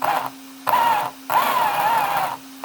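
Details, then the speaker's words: JLB Cheetah v1 RC car on stock battery after cleaning sand and rusty grime from a jammed drivetrain; short bursts of smooth, even motor whir rising under throttle, no grinding; running normally, ESC apparently had dried out. "All good. Nice and smooth."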